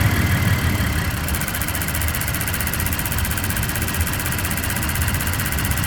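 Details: 2023/2024 Tacoma TRD OR (year given both ways) idling, with a light, rapid high-pitched ticking over a steady idle rumble; this ticking comes and goes at points in the recording, and its cause is unknown.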